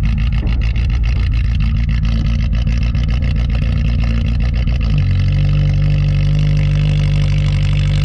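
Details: "Rescue" Tercel wagon (1983) cold start at about -6°F wind chill after sitting a couple of weeks; it catches with a busy, uneven chug, then settles within about five seconds into a steady, even, tractor-like low idle; normal cold start and idle.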